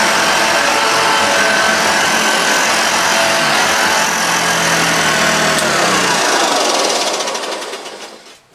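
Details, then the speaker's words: Restored Hoover Junior Dirtsearcher 1354A upright vacuum: over the loud motor hum a fast regular tick, about four a second, from the brush roll, its end cap at one end rubbing a little in the corner. "tickity noise is annoying me from the bus fall so I know what it is it's captured on one end"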